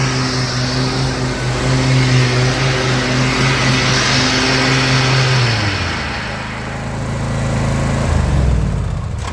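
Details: Troy-Bilt XP zero-turn mower after the loose deck belt problem was fixed: the engine drones steadily with the blades turning, dips briefly and recovers, and there is no belt squeal. The deck drive pulls properly.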